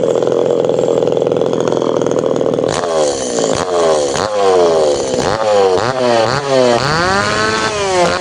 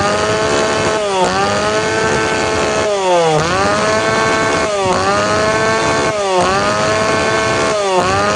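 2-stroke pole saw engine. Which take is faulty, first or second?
second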